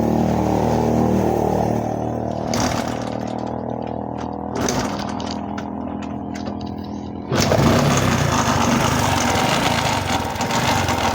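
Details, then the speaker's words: Honda Supra X 125 motorcycle idling with a loud, very harsh clattering rumble from the engine; cam chain already replaced and valves adjusted without change. "jadi suaranya itu timbul dari bagian mesinnya ya dan suaranya itu sangat kasar"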